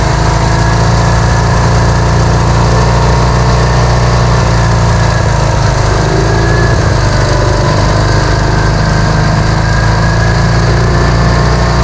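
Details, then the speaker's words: Vintage Hydra-Mac mini skid steer small engine after cleaning the ignition points: fires right up and holds a fast, steady high idle with no sag; throttle is sticking and not returning. "Cleaned up the points on this thing and it pretty much fired right up. Stayed running. It was idling real high. I got to fix that"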